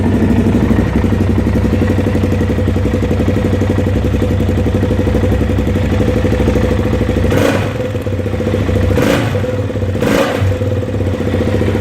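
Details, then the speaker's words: 2005 Suzuki LTZ 400 single-cylinder quad idling with a busy metallic top-end clatter from a stretched, worn cam chain; fixed with a homemade tip extending the automatic tensioner about 2 mm, engine then quiet. "Stretched cam chain noise"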